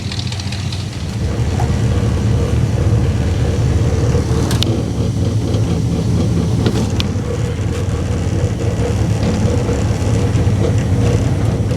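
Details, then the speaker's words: 1959 Dodge Coronet cold start after brake work; deep, steady rumbling idle with a loping beat and no tapping or misses, a healthy idle. "man she starts right up she starts right up this whole car wants to live man she does listen to that [Music] god she sounds good"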